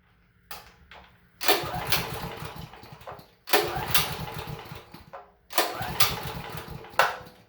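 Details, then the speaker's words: Honda GX390 engine generator that sat for about a year: three recoil pulls, each a brief chuffing turnover that never fires; no-start suspected to be a carburetor needing cleaning. "this generator has been sitting for a year or so and i was i was uh testing the generator for this this year and it doesn't uh want to start"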